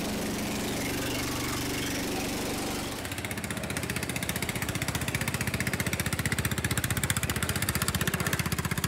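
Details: Restored Jacobsen Chief 800 garden tractor, single-cylinder, started after fitting a smaller pulley to keep the belt on; steady drone drops after about three seconds into quick, even chuffing running regularly; normal running.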